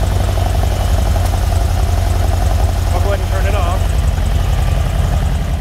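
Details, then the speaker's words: 1978 Ferrari 308 GTB V8, engine bay, smog pump deleted: idle thumps along with an uneven lope, not firing on all eight; ignition verified strong, spraying gas smooths it, so dirty, gummed-up carburetors are starving cylinders. "You guys are going to notice that it's not running on all eight cylinders. You can hear it."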